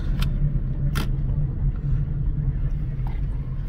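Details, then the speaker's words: 2002 Honda Civic after ECM replacement, which fixed limp mode (underpowered, misfiring, stuck below 4th, no OBDII connection): slow test drive coming to a stop with a low, even engine rumble, no stumbling or surging. It drives normally. "so i'm coming to a complete stop all the gauges are working and then i'm obviously driving slow because i got all the tools and stuff just around me but yeah so as you can see it's driving perfectly fine"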